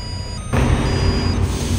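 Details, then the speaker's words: Howo 371 dump truck idling with diesel rumble while a steady high brake warning tone sounds continuously with brake warning light and stop message; cause was a shorted brake sensor behind the tank, unplugging it stopped the alarm. "So ibig sabihin po may problema po yung ating brake system mga parekoy. At the same time po 'yung alarm na 'yan mga pre na tumutunog. So hindi po natatanggal po 'yan."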